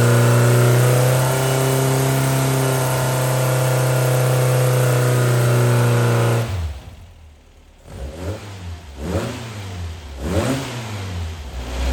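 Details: Brand-new Powerhaus VW 2110cc air-cooled turnkey engine for a 1966 21-window bus, upgraded head, dual 44 carbs, on dyno after valve adjustment; even flat-four drone holds, drops and blips back cleanly, no valvetrain ticking; normal running.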